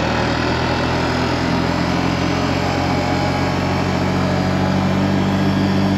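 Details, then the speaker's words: 2003 Honda Rancher 350ES, about 4700 miles, test ride after carb cleaning, new choke and new starter: steady, even engine drone with no knocks, misfires or surging under load; runs really good. "I would have to say this is a success runs really good uh maybe I'll take her on a quick ride here for you"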